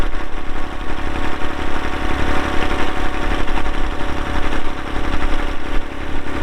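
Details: 1990 Massey Ferguson 231 tractor, 2WD, MF232 loader, Perkins diesel, 2,898 hours, started on a cold day. Even, deep diesel rumble at steady idle with no knocks, misses or hunting. Normal diesel idle.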